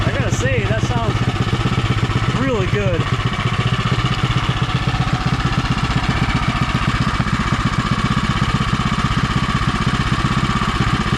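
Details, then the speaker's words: Predator 212 (Monster 212) single-cylinder in Mega Moto minibike with new thick-flange custom exhaust V2.0 and wrap, getting hot: quick even putter, deep steady exhaust note, super quiet; normal idle. "Quiet it is. Super quiet."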